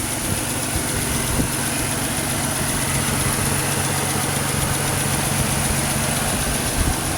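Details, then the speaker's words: 2006 Pontiac Grand Prix supercharged V6 swap engine: steady smooth idle, low constant hum, no knocks or stumbles; crossover exhaust leak still to be fixed; normal idle. "So yeah, I'm definitely gonna have to fix that exhaust leak on the crossover, but that's not a big deal. Man, she's idling smooth."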